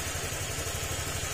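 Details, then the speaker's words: Honda Click 150 scooter that had a tok-tok knock at idle which vanished when revved, after an overhaul and refitting the side cover: smooth, even idle with no tapping or knock. "umaandar na an wala na rin yung tungtong tungtong at binalik na rin natin yung panggilid niya kasi goods na"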